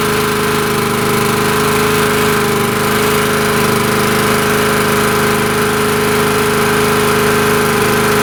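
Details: Honda EG2200X 2.2 kVA generator, possibly 1980s–early 90s, just started after fuel drained: steady, even drone with no misses, surging or knocks, very smooth idle; owner suspects earlier no-start was air in the fuel and thinks the carburetor could use cleaning.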